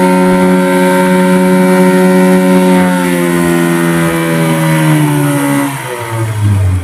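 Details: Yamaha 15 hp two-stroke outboard after repair of stuck piston rings and clogged, narrowed exhaust: steady buzzy drone with clean even tone settling smoothly as throttle eases off; normal running, power restored.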